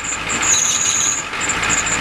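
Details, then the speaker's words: Tired Ford 7.3L diesel truck cold start at about 50°F, smoking: steady piercing high squeal over the idle from the belts slipping; the owner blames the pulleys. "Yeah, the belts are squealing. Hear that? Yep. That's the problem."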